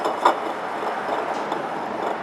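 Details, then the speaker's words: 2011 Honda CR-V AC compressor pulley hand-spun with the belt off: a dry, gritty rumble with a faint click that points to a worn pulley bearing, very loud with the belt on. "Now, of course, you put the fan belt or drive belt on that and pull a little tighter, and it's going to wind up with making a tremendous amount of noise."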